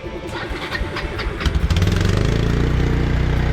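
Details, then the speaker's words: Kawasaki 300 four-wheeler sat almost a decade: slow cranking catches on a starting-fluid spray into a ragged uneven thump near four beats a second; fuel starvation, carburetor has to come off. "yeah it just needs fuel let's see it's gonna have to come off okay"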